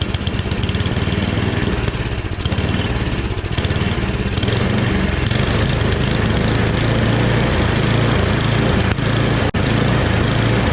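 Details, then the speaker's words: Rebuilt snowblower small single-cylinder engine running steady and even with a constant low drone, no knocks, surges or grinding, transmission engaged in medium; runs normally after little work. "I was expecting to have to do way more than that to get it running at the very least. But even the transmission works. Everything seems to work with it."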